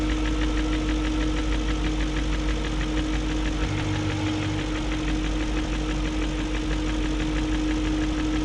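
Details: 2001 BMW E38 740i V8 idling after new timing chain, guides, tensioner and VANOS profile gaskets: light fast ticking about three per second over smooth idle; no codes; owner suspects VANOS unit, cause unconfirmed.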